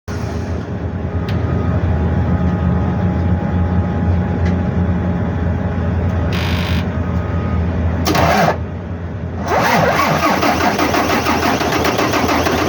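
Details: Volvo 460 dump truck diesel: rough, uneven running with faint whistle, then sharp hissing bursts; starting trouble from air-locked fuel system and turbo failure, injector O-ring failure.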